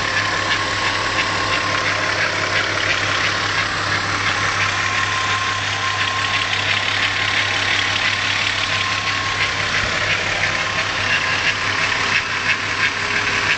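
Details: VW VR6 engine at idle: steady hum with a light, fast ticking about three per second riding over it; engine noise of unclear source.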